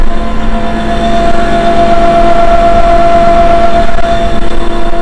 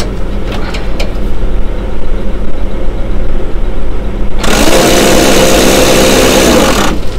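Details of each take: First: Seeder auger in Western Australia, test run after replacing a failed bearing, cog not yet fitted: steady even hum at one constant tone, no knocking or grinding, turning freely. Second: Seeding rig on a tractor at idle during a calibration run, Western Australia: a harsh grinding roar with a rough whine bursts in for about two seconds and stops; auger bearing failure.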